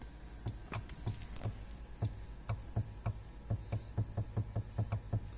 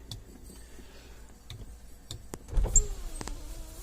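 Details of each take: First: 2007 Suzuki XL-7 power window, heard with the door open: the switch clicks and soft low thumps, about four per second, come from the motor straining while the glass doesn't move; motor stalls. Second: 2007 Suzuki XL-7, key on, driver's power window: switch clicks then smooth steady motor whir as glass goes down; normal operation, while passenger front window does nothing.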